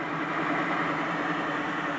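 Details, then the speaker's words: BMW EV conversion, electric motor and gearbox on a new adapter plate and coupler, gearbox with no oil, run briefly at low speed: soft, steady gear hum with a faint even whine, no play or grinding; normal. "it's 100 happy probably hear the gearbox there's there's no oil in it even at this stage so"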